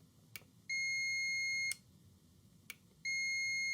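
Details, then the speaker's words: Portable ice machine limit switch on a continuity test; two clean high beeps as the lever closes the normally open switch, contact made properly. Normal. "So you can see that when the switch is in the sort of normal position, it's normally open. And then when this little cam section when it turns up and pushes on the switch, it completes the circuit."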